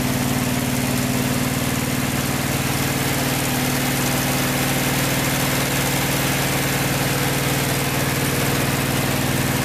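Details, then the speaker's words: Vintage VW air-cooled flat-four from a 1956 Beetle barn find (not original engine), first run after 23–24 years stored, after carburetor work: even firing pulses about four a second over a steady low drone, no knocks or rattles; healthy idle. "it runs really smooth uh no knocks no rattles fires right up with one or two cranks and it's fires up so nice engine"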